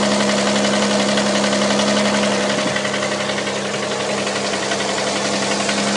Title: стук в двигателе 6GEA